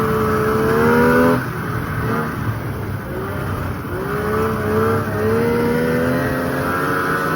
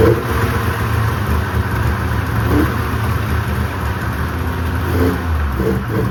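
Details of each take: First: 1995 Polaris RXL 650 triple two-stroke sled, sat outside about 8 years and was previously locked up, now revived on a borrowed battery: steady buzzing idle with clean throttle blips, no misfire or knock; runs normally, though the track needs grease. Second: 1995 Polaris RXL 650 triple two-stroke snowmobile, sat outside about 8 years and was previously seized: ragged, surging low burble that only keeps running on starting spray. The fuel system is not delivering fuel, cause still unknown.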